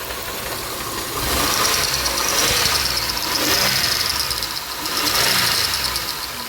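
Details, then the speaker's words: 2007 Grand Prix running after ICM and harness replacement, with the AC compressor removed. A shrill high squeal swells and fades every few seconds, an accessory squeal suspected to come from the brand-new power steering pump. "that's a brand new power steering pump [Music] kind of sounds like it's the power steering pump though"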